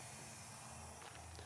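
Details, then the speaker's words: Automotive A/C recharge after vacuum, machine charging 1 lb 2 oz (16–18 oz spec) through both low and high side ports: soft, steady whoosh of refrigerant rushing through the lines as gauges rise; normal recharge under way. "as you can see by the gages we are pushing refrigerant into the system if you could not hear the whoosh of the refrigerant being pushed through the lines"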